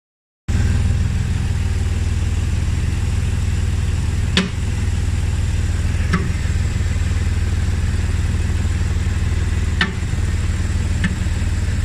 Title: bmw e60 knocking sound! anyone know why?